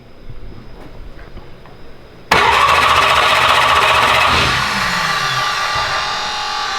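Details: First fire-up prep on the turbo build "Slick Rick": the starter is bumped to spin the engine and build oil pressure, with oil moving through the turbo via a scavenge pump. Fast, even churning with no firing or knocks; normal clean cranking.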